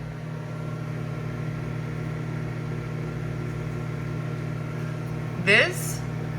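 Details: Microwave running normally on a Foxtheon iGo3600 portable power station (3600Wh/2500W) at about 1.3 kW load: steady, unchanging low hum with a short clatter near the end.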